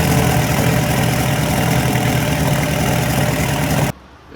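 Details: Lotus Esprit V8 after replacing an open-circuit component: steady, even V8 running with a firm low rumble, no misfire or knock before it cuts off; sounds healthy.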